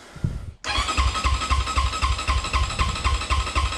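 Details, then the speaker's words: 2020 SSR SR300 dirt bike, newly fitted Lectron carb, sat a month, cold start on choke. Starter churns evenly about four turns a second but never fires; no spark, with the plug lead found disconnected at the coil. "so when your bike won't start you got a couple things you got air fuel spark so we know we have fuel we see it in the bowl we know we have air i went ahead and checked the spark and there is none"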